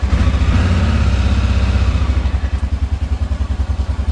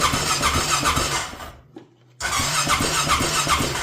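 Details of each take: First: Honda Rincon 650 ATV single after rebuild with new cam, cold-blooded and revved to warm up in freezing rain: brief rev then steady, even idle thump about three to four beats a second; running normally, carb may need fresh gas. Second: Rincon 650 ATV on its first start after a rebuild, carb refitted and fuel added, straight pipe with no exhaust. The starter spins the engine at a steady fast churn with a squeal, stops, then cranks again without firing. There is no spark because the plug cap is disconnected.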